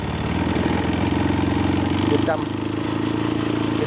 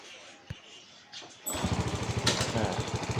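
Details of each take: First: Honda Wave 125S that starts easily but won't rev, with a new spark plug and a carb already cleaned: it idles steadily, then a throttle blip barely climbs and stumbles back down; the cracked carburetor choke is at fault. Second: Honda Wave 125S restarted after fixing the open choke: a quick crank catches at once and settles into a steady, even putter of about three beats a second. It starts easily and idles cleanly.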